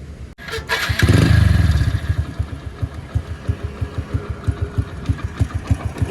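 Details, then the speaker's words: Hero Splendor motorcycle after fixing noisy timing chain: engine catches on the starter then settles into an even thump about three beats a second, no ticking or chain rattle; silent, healthy idle. "Time engine के sound में आपको बिल्कुल भी आवाज नहीं आ रही होगी आप बिल्कुल चेक कर लो बकुल साइलेंट इंजन हो चुका"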